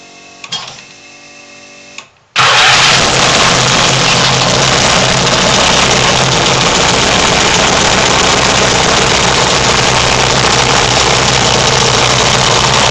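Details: Turbocharged, MegaSquirt fuel-injected Yamaha XS650 twin, first start; right cylinder leaks oil and top end needs rebuild: brief cranking, catches at about two seconds, then holds a loud, steady, fast-pulsing run; engine fires and keeps running.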